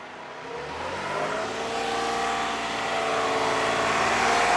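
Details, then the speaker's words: 2015 Toyota Sienna AWD 3.5 held at 2500 rpm after replacing the bank 2 sensor 2 downstream O2 sensor, which had tight threads that were chased and is not yet connected. Leak check at the bung: smooth, even hum with no puffing or ticking, so no exhaust leak. "Okay, shut it off now. If there's no exhaust leaks, so we're all good."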